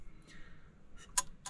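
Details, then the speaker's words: 1986 Renault Espace engine build, after rewiring a burnt harness; ignition switched on with battery connected, engine stopped: a few light sharp clicks of the contactor/idle cutoff solenoid switching normally. "je vais mettre le contact et je vais brancher la batterie pour voir si ça prend pas feu donc là ça va marquer mais c'est normal voilà donc là on entend bien le bruit du contacteur"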